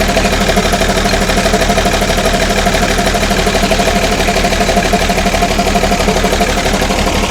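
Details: Ex-army International ACCO 6x6 with a Perkins 6354 diesel, idling after the fuel system was bled: steady clatter with an even beat of about two per second, no misses or knocks. Clean idle.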